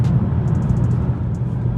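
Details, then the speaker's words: BMW E93 M3 convertible, hard top closed, test drive after the fix for a rattle from the middle of the roof: steady road and engine rumble, no roof rattle or buzz heard. "All right, so I'm just driving around. So far, don't hear any rattling, which is nice."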